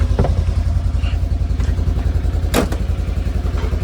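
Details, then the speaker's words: 2015 Polaris RZR 900 at idle after fuel pump priming: steady, even idle at about three and a half pulses a second, no knocking or ticking, engine breathing fine. "I got that door to shut too it wouldn't shut at first but I got it sounds good no knocking no ticking no nothing like that sounds like she's breathing fine"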